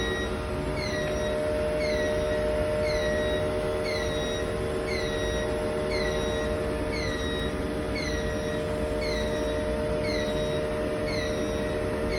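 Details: Sputter system: steady mechanical hum with a repeating chirp-like squeak about four times a second, constant throughout; abnormal noise, cause undetermined.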